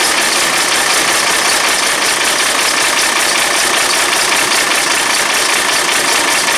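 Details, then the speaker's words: Diesel bus engine started with a little Easy Start at about 4°C, just primed with 20 L of fuel; loud, harsh clatter at an uneven, lumpy idle. A blown head gasket is suspected, not confirmed. "the Downs at the moment is we think we've got a head gasket that's blown something that we can't remove"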